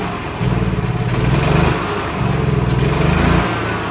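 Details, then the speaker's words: 2013 E-Z-Go gas golf cart single-cylinder engine running only on choke: surges up and falls back twice, uneven and hunting; owner suspects fuel-starved carburetor even at full throttle, needs carb kit. "the reason I know we need a carb kit is because there's not enough fuel being pulled into the actual carburetor the reason I know that is because even when I go Full Throttle it's not getting"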